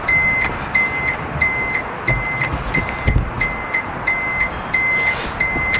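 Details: Newly fitted reversing beeper bulb on a Renault Trafic (target 85 dB): a steady high-pitched beep about 1.5 times per second, evenly spaced but somewhat muffled. The beeper is working.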